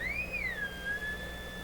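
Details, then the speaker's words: Hammarlund SP-600 double-conversion receiver, 455 kHz IF alignment, unmodulated carrier with BFO switched on: clear high whistle slides up then settles to a steady tone, BFO off zero beat; fix is adjusting L44 until the tone drops to dead center. "Okay, we shouldn't have any tone there. So I have to adjust L44."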